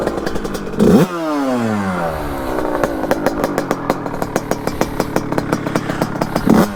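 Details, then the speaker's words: Beta 100cc two-stroke, 34 Mikuni cross carburettor, fully warmed up: throttle blips around a lumpy popping idle; improved but still running rich and smoky, idle still needs adjusting. "là on est quand même sur quelque chose de vraiment pas trop mal fume est grass mais c'est déjà mieux"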